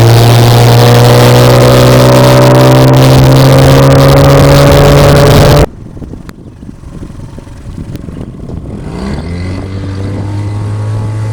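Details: Outboard boat motor, restarted after sitting 2 minutes: a steady, even drone at constant speed with clean unbroken pitch, then a quick half-revolution start and smooth settle. Normal running; owner calls it very reliable.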